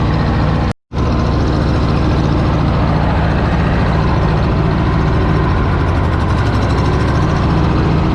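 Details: Cub Cadet Low Boy 154 tractor after spark plug change: uneven skipping beat instead of a clean idle; misfire because the two front plug wires were swapped; runs well once corrected.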